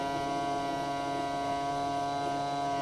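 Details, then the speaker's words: Power tilt and trim on a 2014 Yamaha 250 SHO outboard, 2000 Blazer 202 bass boat: steady fixed-tone electric motor hum with no lift; the tilt and trim unit is low on hydraulic fluid. "Yep. You see it's low on fluid,"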